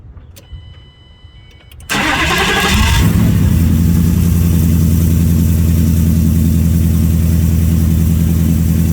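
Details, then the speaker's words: Gen 3 Ford Coyote engine swap, first start after high-pressure fuel pump replacement, with the fuel system primed a few times. A couple of seconds of cranking, then it catches and settles into a steady, even idle with no stumble. "let me try to crank it and see if it's going to start obviously I got to Prime the system a few times and hopefully she"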